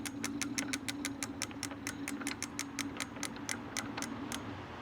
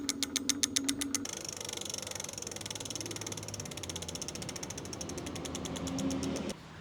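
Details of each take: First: Lectric XP 750W folding eBike hub motor keeps humming and driving with regular ticking about four times a second after throttle release instead of stopping; owner suspects internal controller fault, before controller replacement. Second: Lectric XP 750 W folding eBike after fitting new parts: light, fast ratchet clicking slowing as it coasts, no motor hum; hub freewheeling normally.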